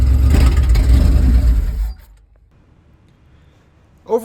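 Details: 1978 Dodge van with a 440 V8, sat 30 years, first start after a new oil pump, water pump and alternator, not yet on its tank fuel: catches and runs with a deep steady rumble for about two seconds, then shuts off; starts normally.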